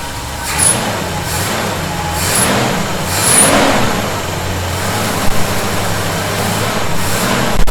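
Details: 1971 Chevy C10 V8, cold start after snugging up loose bolts (not cranked down hard) to cure a whistling noise: low steady idle rumble, a few faint brief chirps, no constant whistle; owner thinks tightening may have been the answer; normal idle.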